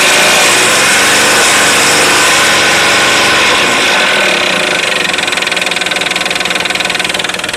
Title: Стук двигателя